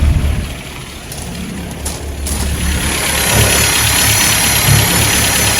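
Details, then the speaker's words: Restored 1959 Land Rover Series II 109 pickup, cold start on choke with hand throttle set around 1000 rpm, no blue smoke: fast even idle with steady exhaust beat, no knocks; warming up normally. "i can use the hand throttle if i want to set the idle and increase it put it at maybe a thousand uh rpm or so i will let it warm up"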